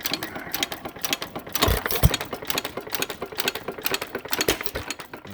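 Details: Frost King Jr 23959 1 3/4 hp hit-and-miss engine, second run after detent adjustment and new springs, worn pins and low compression: rapid even clicking taps over slow engine beat, light metallic rod-end knock; rod bearing needs a shim removed.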